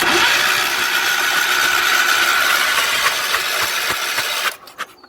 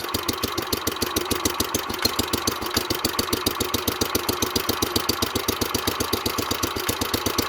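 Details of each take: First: 1970s Wheel Horse C121 8-speed mini tractor with Kohler engine; condenser found hanging off unbolted. A steady, fast churning crank for about four seconds with no cylinder catching: turns over but won't fire, no spark. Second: 1970s Wheel Horse C121 8-speed mini tractor, Kohler single cylinder, started after rewiring the fuel pump, on the original points; a quick, even beat with no misses or knocks, idling steadily and healthy.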